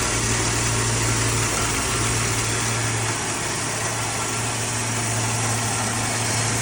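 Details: Plymouth Duster, Mopar Slant 6 225, now running off the gas tank after starting on start fluid: steady, even idle with a smooth low hum, no knocks or misses; normal idle.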